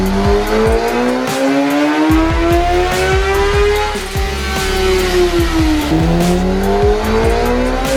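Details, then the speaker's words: 2017 Kawasaki ZX10R (Gen 5) with exhaust and velocity stacks on the dyno, re-baseline full-throttle pull after readjusting a slipping clutch. Engine note climbs cleanly in pitch under full load with no flare or sag, pulling smoothly through the revs. Healthy pull, clutch holding. "we're getting ready to uh rebaseline it again and see what it does now that the clutch all adjusted hopefully this thing's salvageable"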